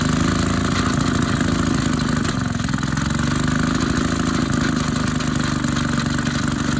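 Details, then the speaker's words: Maytag 72 twin-cylinder engine driving a power hacksaw, RPM being lowered after fitting a larger pulley. Once warmed up it chugs with occasional skipped beats, a misfire because one cylinder is more worn than the other. "that's when after it warms up that's when it it starts skipping because one of these cylinders is worn worse"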